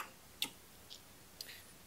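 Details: Bobcat zero-turn mower with a no-start: three sharp, light clicks about half a second apart and no cranking. Battery voltage reaches the solenoid, so it is switching, but the starter doesn't turn; corrosion on the lead to the starter is suspected.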